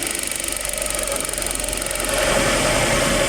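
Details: Suzuki APV after replacing one ignition coil that had no electrical supply: steady, even petrol idle with a light regular pulse and no stumbling; the engine shaking is gone.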